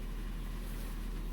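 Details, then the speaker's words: Steady, even low idle with no squeal or whine, even while turning the steering wheel, from a 2002 Nissan Xterra 2WD with a KA24DE 4-cylinder (337,000 miles, top end rebuilt) after power steering pump replacement; running normally. "startup is complete there's no squeaking noise everything seems to be running normally I turned the steering wheel I don't hear hear any noise"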